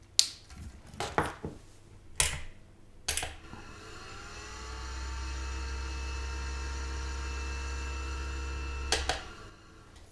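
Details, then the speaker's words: Pentium II PC, original CPU cooler fan on a bench power supply: spins up with low rumbling hum and several whining tones; after many running hours the fan bearing is badly worn, cooler to be replaced. "I think that fan has been spinning for a long time they shouldn't sound that bad on the buring like pretty worn in this one"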